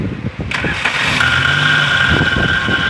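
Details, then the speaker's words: Car starter motor cranking the engine with a harsh scraping grind and a high steady squeal over the cranking, pointing to a wobbling starter shaft; starter to be removed and inspected. "mostrar para vocês o barulho que tá fazendo agora no motor de arranque do carro motor de partida ele vai dar a partida para você ver aí ó olha lá"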